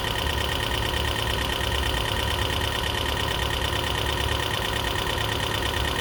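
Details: 2012 Toyota Prius V engine at idle after head gasket rebuild and computer panel replacement: light rapid, roughly even tick over steady idle; lifters suspected still adjusting, expected to clear up, not confirmed.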